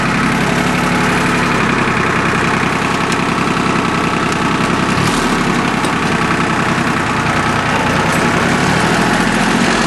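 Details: Small Yanmar diesel with three injector lines, just restarted after air was bled from the whole fuel system following a fuel filter change that left it unable to start: loud, even clatter at a steady idle, no misses or hunting, fuel system primed.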